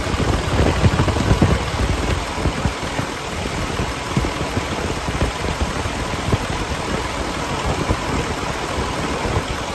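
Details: 2012 Western Star 4900FA with a DD15 diesel (475 hp, 13-speed manual) at raised idle. Steady, even low rumble with light clatter and no knocks or misses. Normal high idle.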